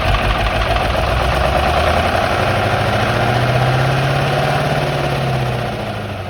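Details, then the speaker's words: Massey Ferguson 2775 tractor, sat maybe 10–15 years, filmed at the previous owner's place: diesel roaring at high, steady revs with a droning note, won't drop to idle, running away until out of fuel; owners suspect the injection rack stuck open. "this tractor kind of ran away but it ran out of you know it ran out of fuel so play the clip it's pretty cool it might help further demonstrate that the rack is stuck open"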